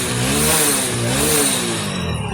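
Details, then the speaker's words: Hero Splendor BS6 after fixing the faulty magnet coil (CKP sensor) that caused misfiring: revs rise and fall smoothly to full RPM, with no missing, jerks or cut-outs. The engine runs clean. "आप आवाज़ सुन सकते हैं, बिल्कुल RPM बिल्कुल अच्छी तरीके से आ रहे हैं और मिसिंग कुछ भी नहीं है, झटके नहीं है।"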